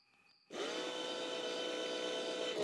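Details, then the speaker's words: Auxiliary pump for a 2000 BMW 740i E38 tested on the bench: spins up quickly to a soft, steady hum with a thin even whine, no scraping or rattle; working great and noticeably quieter than the other pump; normal. "yep it's working great uh you can tell it's a lot more quiet"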